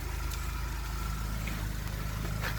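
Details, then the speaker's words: 1991 Ford Mustang LX, fuel-injected four-cylinder, 173,000 km, ride-along: low even idle with steady pulse, no knocks or misses, fuel pump audible; runs like a clock, normal idle. "yeah. Yeah, it runs like a clock."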